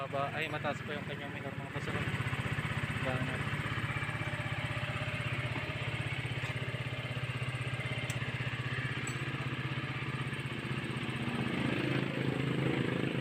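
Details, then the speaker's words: Motorstar Star-X 125 (Rusi 125) single-cylinder after repair of earlier internal dragging noise (owner had suspected rocker arms): even quick beat about four pulses a second, no knocking; runs smoothly but idle sits a bit high. "Okay mga boss Ayan umandar na siya So ngayon lang natin natapos kapon na yan okay na yung andar niya"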